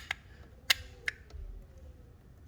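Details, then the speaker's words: 2014 Chevy Malibu 2.5 Ecotec with code P0011, new replacement intake cam solenoid bench-tested by tapping power: a few sharp, separate clicks, one per tap, faint hum between; switches cleanly, normal solenoid clicking. "So this works out great. So I don't know if you noticed in the beginning it wasn't working at all. It's just because this is corroded."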